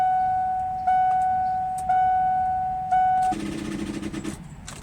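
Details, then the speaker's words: Ford E350 5.4L van, dead after losing power on the highway: a warning chime about once a second, then the key gives only a brief buzzing chatter and no crank. The battery was flat from a failed alternator, which was replaced. "sounds like a battery to me but it started fine this morning you know so I'm gonna have to pop the hood and check it out"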